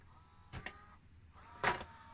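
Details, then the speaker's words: 1993 Pioneer CLD-2850 laserdisc player, open/close: thin motor whir in two short spells broken by clunks as the tray sticks; slipping tray load belt, fixed with a new belt. "there is a drive belt so I will start with trying to replace that drive belt because it seems to be that it is that that is slipping"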